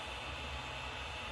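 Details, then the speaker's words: Creality Ender 5 Pro 3D printer: front main fan runs flat out, not switchable or speed-adjustable, whenever main power is on; steady rushing whoosh with faint high whistle, no speed change, while side fan is controllable. "anytime the main power is on this fan here runs flat out making this noise so someone must have figured a way around that"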